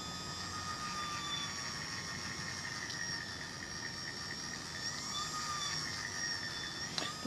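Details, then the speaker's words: 3D-printed gearbox (print 3) on a DIY cat-tracking robot winch: quiet steady motor whine with faint gear hum, no grinding; smooth, normal running. "eah smooth and quiet this seems good so far"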